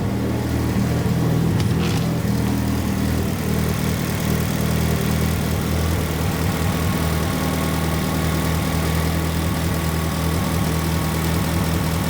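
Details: Freshly built turbo Mitsubishi Evo 9 at first start in a garage, exhaust facing the back wall so it's very loud; fuel pressure about 25–43, mixture leaned out a little: deep, steady exhaust burble, even low rumble, no knocks or misses; AFRs good.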